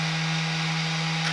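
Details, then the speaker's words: Traxxas X-Maxx after ESC fault was fixed, bench test before reassembly: clean constant electric motor whir with no stutter or grinding; green ESC light, steering and motor working normally. "Steering works. Motor works."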